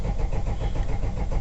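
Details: Vauxhall Vivaro that fired briefly then cut out: steady low cranking that never catches, engine turns but gets no fuel; crank no start from fuel starvation, priming bulb had a hole and line replaced.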